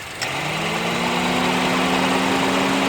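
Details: 2009 Honda Civic EX idling, newly installed aftermarket AC compressor: click as the AC clutch engages, then loud rough grinding hum, louder when revved, stops when AC is off; AC blows cold; noise suspected from the compressor clutch.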